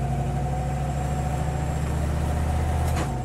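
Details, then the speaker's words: Street-driven car with a Rossler transmission: engine drone drops sharply with one abrupt clunk at the gear change. Harsh shift, owner wonders if it will ease with break-in miles, cause unknown. "But I wonder if that goes away, that hard shift. I wonder if it goes away."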